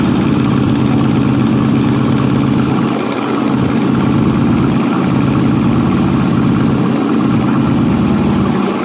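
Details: 1967 Ford LTD, 390 FE 2-barrel V8 on 12-year-old gas after long storage: fast idle with dull, slightly uneven rumble, loading up on fuel; carburetor faulty and needs replacing, lifters now quiet.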